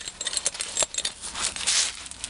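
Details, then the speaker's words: 1996 Jeep Cherokee front axle shaft removed and flexed by hand: sharp metallic clicks with scratchy squeaking and grinding from rough, worn axle U-joints, first noticed as clicking in four-wheel drive. "there's not a lot of play in it side to side, but you can, it's definitely rough, and you can hear it squeaking and grinding. So yeah, definitely bad U-joints."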